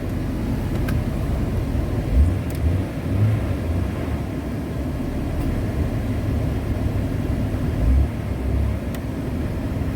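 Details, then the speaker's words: Jeep Cherokee XJ 4.0 after cleaning idle air control valve and throttle body to cure rough idle; low steady rumble, needle steady with no surging even with AC on; fix held after a week's driving; normal idle with AC on. "Yep, needle steady, turn the AC on. Still steady."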